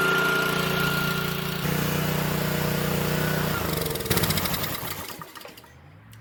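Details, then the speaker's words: Honda GCV190 pressure washer engine, sat about four years, small fresh fuel top-up: catches and runs briefly on starting fluid, then sags and dies; spark good, fuel starvation from stale fuel or carburetor. "so one thing about engines if they run on starting fluid but not by self coil is good spark good but something wrong with fuel system heater valve or maybe line carburetor bad gas something"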